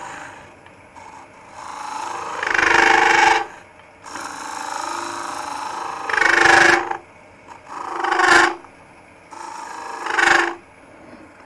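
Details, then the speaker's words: Raspy cutting bursts with a harsh buzzing rattle while hollowing a green, wet end grain bowl with a Sorby ring tool on a lathe: chatter from the tool reaching too far out over the tool rest. "that chatter i'm getting just a little bit too far out over the tool uh rest"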